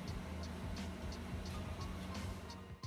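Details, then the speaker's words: Beaver D4 Chinese diesel heater, first-ever start on a newly installed unit in a sixth-generation Ford Bronco: faint regular ticking about three times a second over a low hum as the fuel pump primes, drawing fuel from the tank; normal priming. "all right guys if you can hear that that's the actual fuel pump priming what it's doing is it's draws starting to draw process from the tank to the actual unit itself"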